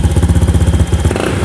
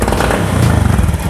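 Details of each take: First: Honda Beat FI injection scooter after resetting the TP sensor by cycling the key on and off five times, idling near 1500 rpm. Repeated quick revs pick up cleanly without the earlier stumble; throttle now responds crisply. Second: Honda Beat FI injection scooter, hard pull complaint: engine chugs and stumbles unevenly as throttle opens before power builds, can even stall, poor throttle response; TP sensor, dirty spark plug or air filter suspected, not confirmed.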